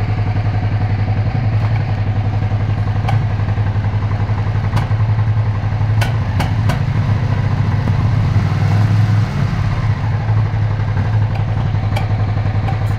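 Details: Suzuki SV650 S V-twin at idle: low lumpy idle broken by sharp uneven pops and skips every second or two, a clear misfire.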